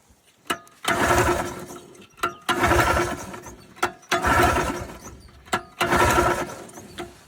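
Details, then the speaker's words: Polaris Trail Boss 250 4x4 ATV rescued from scrap: four cranking bursts about every 1.5 seconds, each dying without catching; won't fire, owner tries full choke then no choke and throttle before it starts. "Oh, okay. She is not liking me. Try choking it maybe."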